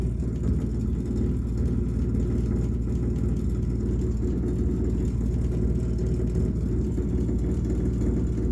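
Deep steady rumble sits low under the running engine, with no distinct knock; the rumble itself is the complaint, cause not pinned down.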